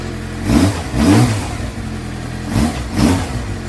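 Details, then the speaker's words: 2007 Suzuki GSX-R600 after CDI/ECU replacement, apparently in second gear with rear wheel rotating, gauges dead: engine picks up cleanly on each throttle blip and settles to an even run, no misfire or knock; running fine. "second gear I believe and still can't see nothing ain't see nothing on the guys back till is rotating"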